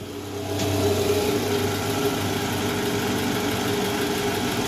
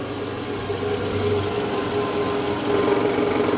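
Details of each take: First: Toyota Alphard after replacing the worn balancer shaft, engine running and shifted into R, heard from the side: smooth, steady idle with an even hum and no knock or rattle. The abnormal rough noise from before the repair is gone. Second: Toyota Alphard, about 90,000 km, cold engine idling in reverse: rough buzzing rattle and low hum, an abnormal vibration in the engine area attributed to a loose, worn balancer shaft.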